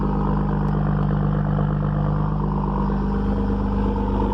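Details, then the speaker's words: Cummins 5.9 diesel cold start at 27 degrees after sitting for days, in neutral after waiting on the grid heater: steady deep clatter holding an even raised cold high idle, no misses or surging; healthy. "okay so 27 degrees we're in neutral wait for the grid heater you know she's cold when she kicks you right into high idle"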